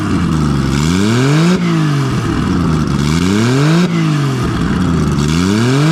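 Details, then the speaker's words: Nissan RB20 after repair of cylinder 5 no compression, traced to a faulty lifter leaving the intake valve low. Repeated blips rise and fall cleanly with an even, loud open-exhaust note, no miss or stumble, all six cylinders pulling. Normal revving. "Well, I probably should have uh had ear muffs on then cuz man, that's loud. But uh yeah, as you can see, she's on six cylinders and uh far out."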